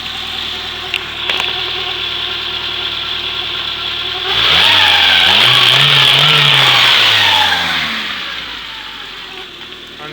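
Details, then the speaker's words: Toyota Corolla SR5 AE86 4A-C, rebuilt after a blown head gasket and then running badly; with the cam timing corrected from two teeth off, revs rise and fall cleanly from a steady idle with no miss or knock. This is normal revving. "fix that up and she runs as good as new so I'll just rev up for her hurry"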